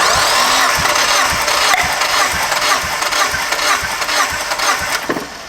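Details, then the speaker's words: Drift Mazda Miata, still misfiring after new coil packs, plugs and wires, compression test: even starter cranking about two beats a second, each stroke alike; cylinder reads 180 psi, healthy compression. "the deal? Oh, that, boys, right there is a healthy motor. Damn."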